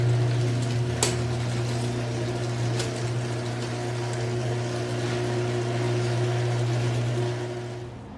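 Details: Garage door opener: low, even motor hum runs smoothly start to finish with no squeal, scrape or rattle. Normal quiet door operation.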